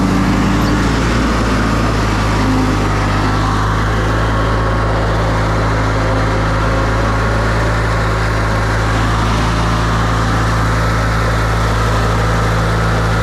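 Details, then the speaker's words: Briggs & Stratton ride-on mower, bought non-running, idling in neutral with park brake on after a new starter drive gear fixed a shredded plastic gear: steady, even low idle drone, no misses, knocks or hunting. "all right so it's in neutral and the parks on so it shouldn't cut off even want to hop off sounds good idling and uh yeah I'm actually really impressed with that how it's turned out"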